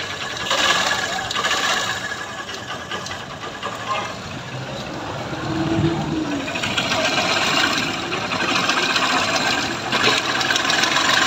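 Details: Honda Trigger motorcycle at idle after engine replacement elsewhere: fast uneven ticking and clatter over a light idle; tappet cover off shows badly worn, scored camshaft and rocker arms causing the noise, to be replaced with original parts.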